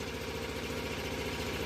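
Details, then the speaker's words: Onan RV generator set fed from a vented fuel tank during a power outage; even steady drone at constant speed, no hunting, knocking or misfires, much quieter than owner's other unit; normal running. "It's actually a lot quieter than this unit. That one's a lot louder. These RV units are not they're supposed to be relatively quiet, you know."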